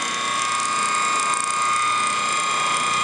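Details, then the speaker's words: Antique Wagner 2hp ring-oiled motor, running: steady whir with rough, rapid ratcheting rattle; a worn bearing that needs replacement. "Now this end, this bearing housing here, it barely gets above ambient temperature. It's almost like it's not even running. candidate for bearing job."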